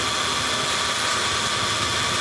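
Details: Car AC compressor, engine running: a steady, rough, droning growl with a fixed hum, the "ngorok" growl of a damaged AC compressor.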